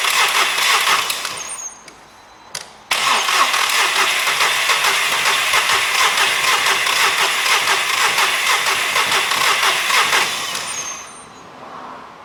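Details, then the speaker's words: SEAT Ibiza engine just refitted after sitting a while, air filter not fully refitted: starter spins it at a steady fast churn for several seconds without catching; cranks, no start, before easy-start spray is tried. "Now, as you can see, that hasn't started. I've got a couple more tricks to do and then we'll see."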